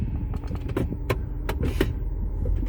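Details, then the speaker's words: 2011 Ford Escape at idle, shift interlock that sometimes sticks on cold mornings: sharp light clicks every half second as the interlock solenoid engages and releases with brake presses; working normally now, owner suspects it is gummed up. "we hear that that's the interlock solenoid coming in and out and in the morning sometimes that doesn't work"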